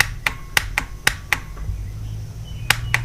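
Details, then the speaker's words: Outboard starter solenoid from a Force 120 hp motor on a bench test: crisp, solid single clicks each time power is applied, about seven in three seconds, meter reading about 12 volts; it works now after an earlier bad connection. "It wasn't working a second ago. I thought it was weird that we had, but you hear it clicking now."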